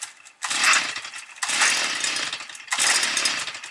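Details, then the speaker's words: Stihl FS 55 trimmer after injector valve fault, on original carburetor, no air filter fitted, cold start at minus 4°C, caught on the eighth pull: high buzz surging in bursts about every 1.25 s while warming; idle not adjusted; normal cold warm-up running. "вісім пішла схвачує вже враховуючи то що холод Мороз 4° морозу"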